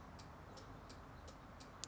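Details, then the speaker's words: 1973 TVR 2500M after new wiring harness install: hazard flasher relay clicks evenly about three a second in quiet cabin and works normally, though turn signal indicator light unexpectedly also operating. "So I've got turn signal and hazards going. Okay, so I would not have expected the turn signal indicator light to be operating right now, just the hazard."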